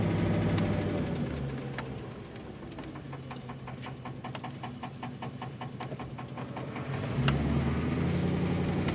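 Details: 1999 Ford Crown Victoria Police Interceptor V8, oil low, appeared a day after a catalytic converter light: sharp regular tap about four per second at idle, harsh on start, worse at high rpm; cause unknown; engine ticking.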